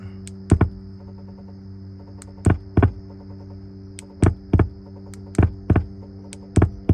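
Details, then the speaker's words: Infiniti G37 on owner's second day: steady low hum with paired thumps about every second coming through the speakers; key on, engine won't crank, doors won't unlock; badly done, dangerous aftermarket wiring suspected, cause unknown. "I don't know why that's going through the speaker like that though you hear that whoever tried to put it together did a terrible job terrible job"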